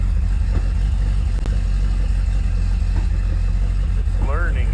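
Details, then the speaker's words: Freshly rebuilt supercharged 5.0 302 V8 with Terminator X fuel injection, on its first run and still untuned. Sharp irregular pops break through a lumpy idle; the owner describes it as spitting and sputtering. "i'm tuning it but she's all back together running like i don't know if you can hear it but popping"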